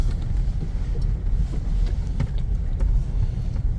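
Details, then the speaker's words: Second-hand Toyota Innova, final check before release, driving over a rough road listening underneath: steady low road rumble, no clunks or rattles; suspension in good shape, bushings still tight, not loose. "Ibig sabihin, ang ganda pa ng pangilalim nito. Mga may higpit pa, hindi pa loose yung mga bushing."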